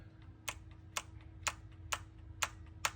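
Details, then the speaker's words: 2002 Lexus LS430 VVT solenoid, cleaned and reinstalled, tested with 12 volts applied and engine off: crisp, evenly spaced clicks about twice a second over a faint hum; solenoid actuates normally. "Yes, it's click click clicking."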